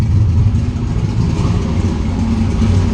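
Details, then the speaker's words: Turbo engine on MegaSquirt ECU after loose turbo-side intake couplers were fixed, MAP sensor apparently reading about 30 kPa high: idling on its own without throttle, steady low even rumble, no misses or hunting; might need slightly more idle. "I haven't touched the gas and it's idling. It might need a little bit more."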